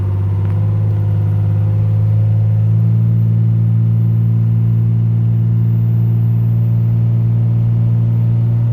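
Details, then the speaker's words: Turbocharged truck at a 400 RPM fast idle, deep steady drone at even pitch with no knocks or surging; converted A/C-compressor air compressor fed from the intake manifold charges the air-bag tank. Normal idle. "And the truck is idling at 400 RPM. A fast idle."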